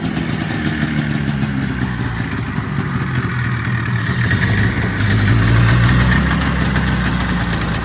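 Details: 1979 Yamaha SRX snowmobile two-stroke, first proper start after fuel system, fuel pump and cooling system work, cooling now hooked up: steady idle burble that swells slightly midway and stays even; idling cleanly.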